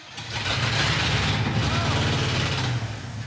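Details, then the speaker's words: 1966 Dodge D100 pickup after sitting, run off a can of gas with ether into the mechanical fuel pump. It starts roughly, with a loud, raspy puffing hiss over the V8 rumble; an exhaust leak of unknown origin. "What is with the exhaust leak?"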